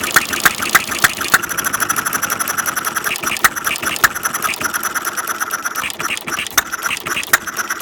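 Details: Half-scale Domestic side-shaft hit-and-miss model engine, hand built from castings, 9-inch flywheels, make-and-break ignition, gravity-fed fuel tank in block, cold day, set to run fairly slow: sharp firing pops, valve clicks, uneven coasting gaps as governor skips strokes; normal hit-and-miss running.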